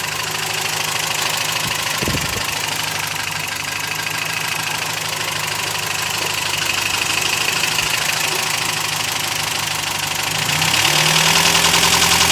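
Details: Toyota 22RE engine (1989) with a steady rapid valvetrain-type ticking, about three to four per second, over a busy idle, rising slightly at the end; cause unknown.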